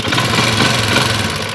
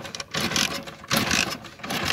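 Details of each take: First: Motorcycle with a hidden anti-theft switch in a cut wire, switch on: the engine catches and settles into a steady, even idle with a smooth low rumble and no knocks or misses. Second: Motorcycle with an anti-theft switch cutting the current from the stator, switch off and key on: three short whirring cranks with gaps between and no catch, since the ignition supply is cut.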